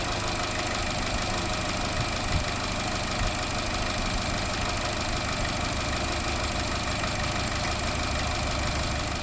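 Fast, even metallic rattle rides over the idle and stays constant; lifters starved of oil pressure by a loose upper timing chain guide.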